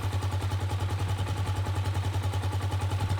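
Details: Gatoma GT150A motorcycle idling: steady, even single-cylinder thump at about 207 beats a minute with a low, smooth tone; healthy idle, charging system reads 13.5 V and rising, so the year-old battery is suspect.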